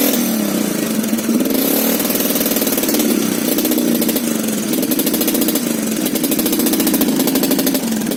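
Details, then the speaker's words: AG200 after a new carburettor, fired up on the second kick. A rapid, ringing, chattery idle that rises and falls with the throttle and sounds almost like a two-stroke, with heavy smoke. Cause of the smoke not evident. "Fired up straight away, and here comes that smoke. Awesomeness. Second kick, the new carb. Listen to it idling, it's even idling."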